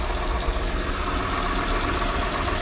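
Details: 2008 Honda Accord 3.5 V6 at steady idle: fast light ticking rattle, said to worsen when pressing the gas pedal; valve train tick from valves out of adjustment, which need adjusting around 100,000–120,000 miles.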